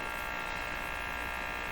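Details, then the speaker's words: 1935 Rogers Model 7R622 tube radio during signal-injection troubleshooting; a steady, unchanging buzz with a low hum beneath it from the speaker, probably a power supply problem not yet dealt with. "You hear that buzz going on. I mean, that's probably a power supply problem that I haven't deemed important enough to deal with yet."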